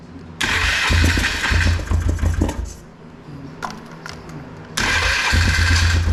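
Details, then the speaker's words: 2005 Polaris Trail Boss 330 that sat for years, air filter and airbox back on, contact cleaner sprayed at an intake air leak: catches and runs with a quick raised thumping idle that dips and recovers; fast idle from the leak. "um and we'll go ahead and see if it'll start anymore it's kind of idling a little fast because of the contact cleaner we sprayed on that air leag"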